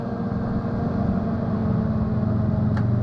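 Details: Newly installed Fan-Tastic Vent roof fan on a 2017 Gulf Stream Vintage Cruiser RV trailer, test run with lid open (won't run lid closed): steady even hum and smooth whir, no rattles or scraping, cuts off cleanly; normal fan running.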